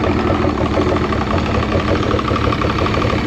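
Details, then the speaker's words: 2006 Evinrude 90 E-TEC two-stroke outboard after correcting reversed aftermarket fuel pump wiring, 15 psi fuel pressure, old oil-mixed fuel; uneven ragged wavering idle, wants to pick up but may not stay running. Compression good, so suspected fuel starvation. "It's definitely better. Maybe it won't stay running. Eventually it'll come. It looks like it wants to pick up, but I'm going to get some better gas."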